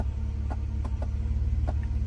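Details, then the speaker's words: 1990 Mercedes 300E W124 at idle: faint sharp clicks every half second or so, in sequence like tapping on the dash. Owner suspects the ignition coil pack is arcing. "and it's just like in sequence sounds like someone's tapping on my Dash"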